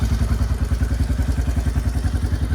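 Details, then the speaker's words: Yamaha Kodiak 400 4x4 ATV (1990s, owner guesses 1995), original carb, revived after sitting years with carb clean, new fuel lines, inline filter and throttle adjusted at carb: even low thumping holds steady, no misses or knocks; healthy normal idle. "And it seems to be running great. I did adjust the throttle at the carburetor"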